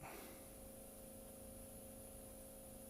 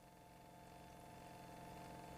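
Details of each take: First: Electric fuel pump on a test bench with pressure being raised while current ramping is watched on a scope: quiet, steady electric hum with a thin high whine and no knocking, the pump speeding up under load, fuel pump whine. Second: Fuel pump on a bench test, driven at a slower speed while current is varied and monitored on a scope; steady, even electric hum with a clean whir, no rattles or surging, normal fuel pump operation.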